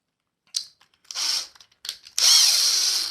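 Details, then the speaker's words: Cordless impact driver: short bursts then a sustained rapid, high-pitched rattling knock as the tool drives; normal impact mechanism operation. "this has this what this does is make like a knocking noise because construction screw"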